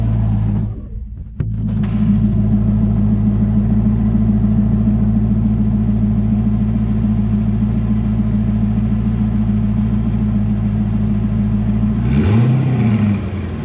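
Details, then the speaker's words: Twin-turbo C5 Corvette, engine stock except turbos, first start after turbo upgrade: steady even idle with deep smooth rumble, then one short clean blip near the end; healthy, no leaks, oil returning. "Sounds good so far. No leaks. This motor is pretty much stock except for the turbo, so it doesn't have a camera or anything, but it sounds good."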